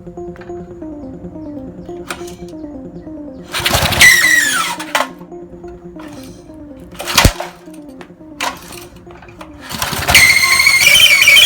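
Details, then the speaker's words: Briggs & Stratton 3 HP engine on an MTD edger: sharp, high squeal during recoil starter pulls that stalls the engine; the starter clutch cap is unsealed, its ball bearings dislodged, and it binds dry and rusted. "And as you could hear earlier, it was squealing really bad when I tried to start it, actually stalling the engine out."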